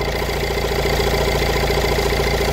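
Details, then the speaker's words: 2019 Vauxhall 1.6 diesel with a DPF low-efficiency fault, low mileage, engine management light on. The idle is uneven and lumpy, with some firing pulses weaker: a misfire at idle, cause not yet found. "see we've got the engine management light on now oh yeah I don't know if that missing is coming across on camera"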